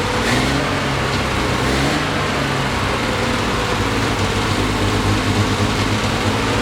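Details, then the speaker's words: 1973 Triumph TR6 restoration, first start in 2 years: uneven, lumpy note surging and sagging with revs; rough running, owner thinks ignition too far advanced, also hears clicking. "obviously we have a mouse clicking we have the ignition is too far advanced"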